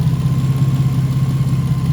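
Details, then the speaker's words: Nissan VQ engine after tune-up and exhaust leak fix, O2 sensor extenders tightened: steady even low hum with no misses, ticks, puffing or stumbling, no check engine light; healthy normal idle. "you sounding good i don't got no check engine i don't hear the joint stumbling whatsoever the engine is sounding really healthy"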